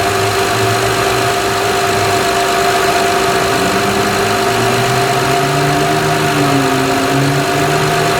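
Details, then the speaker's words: 2006 Honda Odyssey EX-L power steering pump just replaced, filled with Honda fluid: idling engine under steady high wavering whine; new pump sucking air and complaining until primed. "let me just show you what it's going to sound like it's going to complain a little bit I did fill this up but it's going to complain"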